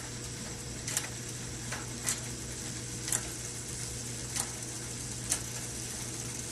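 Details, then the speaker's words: Shimano brifter front derailleur trim: five light, crisp clicks about a second apart over a faint low hum; the half-shift on the first click is intentional, to give more chain clearance; normal. "so that's normal man it's about half shift is intentional"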